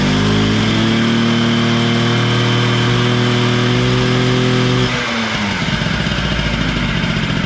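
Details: Honda Spree 50cc two-stroke scooter holds revs then sags and turns ragged as throttle eases, sounding weak and tired; low compression reading, owner suspects blown motor, added premix causing slight smoke; lack of power.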